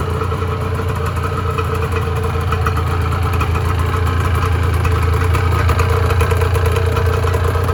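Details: 1986 Honda NS400R 400cc two-stroke triple after 11 months standing, run on choke to empty the carbs for storage: steady burbly idle with slightly uneven beat, starting to starve as the carbs empty; running out of fuel on choke.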